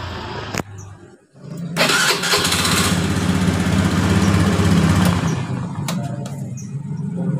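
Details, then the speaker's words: Beat injection scooter, starter cranking after repair: short clean crank without the former rough "ngek" noise from the starter motor, engine catches quickly to steady idle; the starter motor was dirty and dry, cleaned and greased, now normal. "kayak suara ngek di dinamo starter sudah hilang jadi masalahnya hanya dinamonya kotor dan kering ya"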